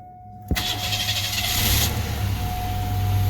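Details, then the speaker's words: 1989 Pontiac Bonneville just after fuel filter replacement: short crank, catches almost immediately, builds to a steady, even idle without stumbling while checking it holds fuel pressure; normal start. "start it up we'll let it run for a few minutes make sure it can keep its fuel pressure and not have an issue"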